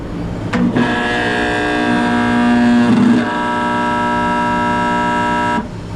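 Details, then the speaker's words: Captive Aire kitchen hood exhaust fan motor, new capacitor fitted without effect: loud steady electrical hum with no spin-up; bottom bearing eaten out so the motor is seized; motor needs replacement. "that's what the motor sounds like the bearing on the bottom just got eaten out so the motor wasn't actually turning anymore"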